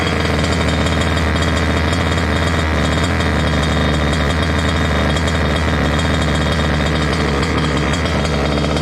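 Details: Water-cooled two-stroke Goped scooter with a new water pump: fast, steady, buzzing idle that won't drop back. It runs lean from an air leak at the unplugged pulse line to the other pump; plugging it let the idle fall as it richened.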